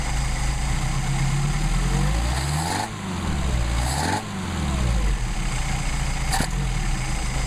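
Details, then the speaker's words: Mercedes-Benz 190SL, rebuilt Solex carbs adjusted; unmachined throttle plates wiggle so idle may rise, settled by a blip. Two quick throttle blips climb and drop straight back to smooth even idle; normal idle. "And the idle will adjust a little bit by itself because, again, we didn't do any machine work on the throttle plates, and so they wiggle around a little bit. So if the idle jumps up, all you got to do is blip it and it'll settle back down."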